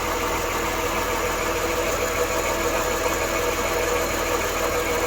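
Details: 1993 Dodge Grand Caravan LE engine at idle: a steady rough growl with a faint ringing tone from a worn water pump bearing, which had started weeping after the idler and tensioner were replaced; the water pump was then swapped.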